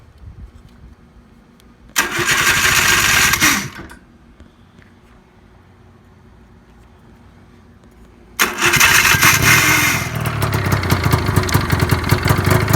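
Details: Two-stroke snowmobile engine in a project vehicle: fires, revs, dies, then restarts with a loud, raspy, spitting exhaust. Exhaust leaking all around the muffler, which is just set on, neither packed nor riveted.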